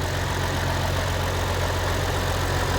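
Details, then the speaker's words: Massey Ferguson 1105 tractor, after a short drive: deep steady diesel idle with even low throb, no misses or knocking; good-sounding old motor, normal idle. "Oh, that sounds nice. This is a good sounding old motor. Guys, what do you say? That thing is a runner."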